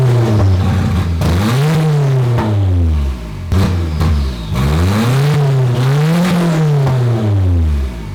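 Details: Stock single-cam KA24 240SX, automatic, untuned, with scrap Skyline turbo, after correcting spark plug wire order: strong engine note climbing and falling cleanly through repeated blips, no misfire or stumble, turbo noises. Normal revving.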